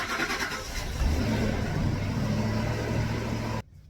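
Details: 2006 Ford Expedition at about 160,000 miles, started after its 150,000-mile service with oil and filter changed: engine catches quickly, flares briefly, then settles into a steady, even run with no misses; normal running.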